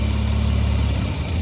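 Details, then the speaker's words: Mitsubishi Eclipse at idle, vacuum applied to the EGR valve with a gauge: a steady low idle that falters and stalls at only about 4 units of vacuum. The EGR opening under light vacuum stalls the engine. "Right there, look, it stalled the engine and that barely moved."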